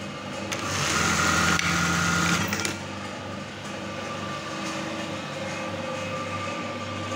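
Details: Brother 814 buttonhole machine, serviced and oiled, running fast and empty without fabric, set with gears 50 and 26: fast, even mechanical chatter over a steady whir, no knocks or grinding; normal running.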